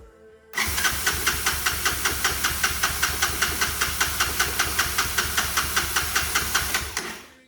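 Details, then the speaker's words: Old Honda TRX200SX ATV, thought late 1980s, first start in years, has compression, no tank: steady cranking about 2.5 strokes per second for six seconds without firing; suspected lost spark, not fuel. "It's acting more of like a spark issue to me. It's like it lost spark. I don't really hear it trying to hit really."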